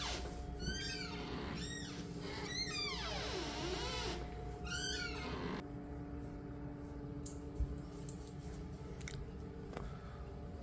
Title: How to Remove Squeaky Noise from your Door Hinge